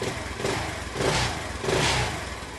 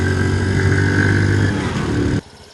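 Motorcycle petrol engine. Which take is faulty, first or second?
second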